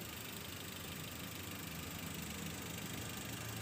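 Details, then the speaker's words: 2004 Toyota Avanza 1.3 G manual petrol, engine bay: quiet, even idle hum with a steady beat, no ticking or knocking; smooth, normal idle, engine still fresh. "Masih berjalan dengan normal. Dan untuk mesin juga masih seger nih ya."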